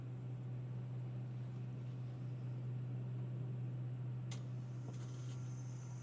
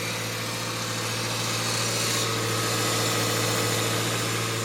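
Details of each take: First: Subaru Forester at idle after replacing a failed, loud Valeo A/C compressor: new compressor runs with a steady low hum, no knocking, rattle or grinding; quiet compared to the old one. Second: 2018 Subaru Forester at about 110,300 miles, engine idling: steady loud hum with rough whirring from the failing Valeo A/C compressor, quieter now but extremely loud once warmed up and run a while.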